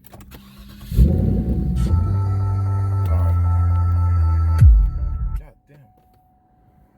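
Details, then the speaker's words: Cadillac STS during fuel filter replacement: engine cranks briefly, catches and runs evenly about four seconds, then dies as it starves with the fuel pump disabled to relieve fuel pressure; stall from no fuel supply. "so obviously you died so that's obviously the right one so I'm going to crack it again just to make sure there's no fuel"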